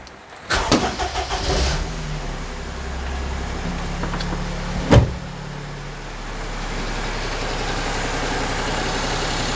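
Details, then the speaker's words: Perodua Kenari with alternator and power steering belts fitted, electrical load off: catches quickly and holds a smooth, steady idle with no belt squeal or chirp, apart from one brief knock; much quieter than before. "That sounds all right down there, doesn't it? So, when you take the electrical load off, it is so much quieter than it was."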